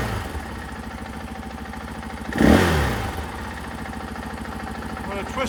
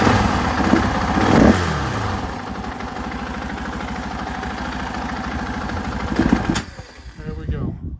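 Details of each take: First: 2024 KTM 500 XW-F single-cylinder with Vortex ECU installed on stock intake; idle snaps up to a sharp rev when opened fast and drops back cleanly without stumbling; throttle response healthy. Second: 2024 KTM 500 XW-F on the stock ECU and stock emissions parts, before fitting a Vortex ECU: it catches reluctantly, runs rough, stumbles and dies when the throttle is whacked. Stock ECU fuelling causes the flame-out.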